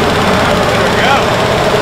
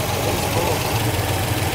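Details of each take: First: 1973 Buick Electra 225, 455 cu in V8 with 90s speed parts and nitrous, sat in a garage 15–20 years; fired on the ninth try after carb cleaning. Loud, steady, smooth V8 idle, even rumble, no misses or knocks; normal idle. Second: 1973 Buick Electra 225, 455 cu in V8 with 90s speed parts, sitting 15 years: loud, slightly uneven lumpy low idle as the overfilled carburetor floods, fuel pouring out.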